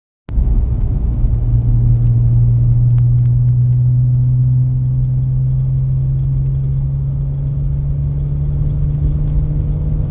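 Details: BMW E46 M3 S54 with SMG, new VANOS and rod bearings: strong low drone with coarse rattly edge under acceleration, loudest 2,500–3,500 rpm, likely from lower engine or toward gearbox; rattle, cause unconfirmed.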